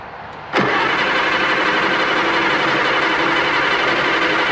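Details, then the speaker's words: 1960–63 International Cub Lo-Boy tractor sitting 10+ years, on a jump box with fresh gas. It cranks fast and evenly for a long time but never fires; rust blows out of the stack. "Well, we got it cranking."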